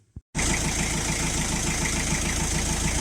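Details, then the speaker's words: Diesel Chrysler Voyager 3 engine after an oil change with soft then hard flush, recorded in the garage: starts and settles into an even idle with regular light clatter, no heavy knock; hydraulic lifter tap now much reduced. "так работает двигатель после замены масла и промывки сразу мягкой, потом жесткой. Гораздо лучше."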